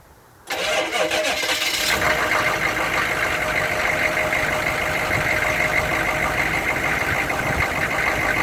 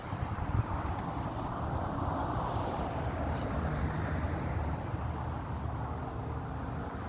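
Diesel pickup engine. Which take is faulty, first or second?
second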